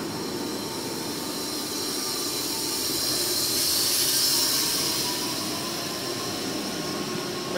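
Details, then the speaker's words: Boge 40 HP VFD air compressor, very low hours, holding around 105 pressure; when the ball valve opens, steady rushing drone swells as the motor speeds back up; normal ramp-up under air demand. "you'll be able to hear the motor whine back down once it gets up to pressure where around 105 [Music] it'll hold that pressure there [Music] until I open up this ball valve here"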